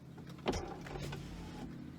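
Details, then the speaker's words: 1999 BMW 328i power window: the motor whirs steadily with a clunk as travel starts and another at the end, the glass having come off its track a little. "uh this one is stuck this one cycles down and up and this one came off track a little bit"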